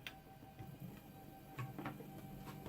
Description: Testing Nema 17 motors, checking the wiring, setting the voltages, crimping DuPont plugs and dry run with the Ramps 1.4